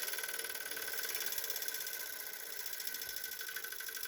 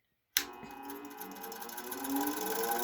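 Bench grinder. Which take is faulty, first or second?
second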